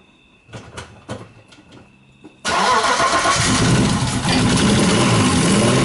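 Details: BMW E36 with M52B28 engine after head gasket replacement and engine timing: brief crank, fires at once, settles into even steady idle with no ticking or misfire; runs healthy.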